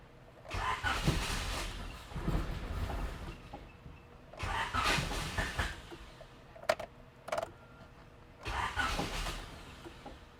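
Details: Honda EF Civic with stock D15 engine, non-running: three cranking bursts spinning evenly but never catching; no fuel delivery, though pump ran at first key-on, so fuel pump suspected.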